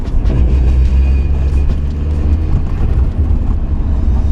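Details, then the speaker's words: Mazda MX-5 Miata driven on icy roads: a deep, steady drone under road noise at low revs, which happens constantly and seems to come from the rear differential; cause suspected, not confirmed. "That happens all the time in low revs. It's coming from somewhere on the diff."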